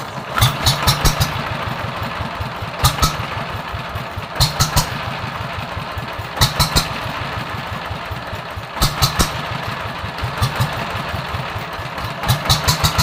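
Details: TF115 single-cylinder engine, previously hard to start, after reassembly and parts replacement (inner bearings not yet done): steady, even thump about seven beats a second, no knocks or misses, good compression; healthy idle.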